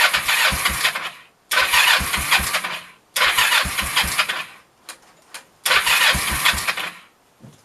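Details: 1996 Kawasaki Vulcan 500, cold at about 28°F, idle possibly set too low: four long starter bursts, engine never catching; cranks but won't start, cold suspected, and it fired only after the engine was warmed with a heat gun.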